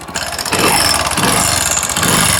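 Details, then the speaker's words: Hero Splendor motorcycle, engine rebuilt about one to one and a half months earlier, at idle: a busy, clattery idle with fast metallic tapping from the top end. The rear part of the rocker arm bearing is broken and is causing the engine noise. "ये जो bearing है इसका पिछले हिस्से का ये जैसे आप देख पा रहे होंगे ये टूट चुका है इसकी वजह से दोस्तों इंजन के अंदर से साउंड आ रहे थे"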